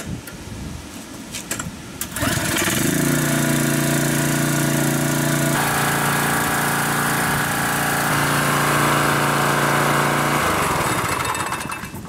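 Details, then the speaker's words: Craftsman pressure washer (model 126M02-0344-F1, Briggs & Stratton 6.75 hp) after carburetor cleaning and fresh fuel, hose attached, run to warm oil: catches and runs steady and even with smooth firing beat; normal. "guys this thing runs awesome now"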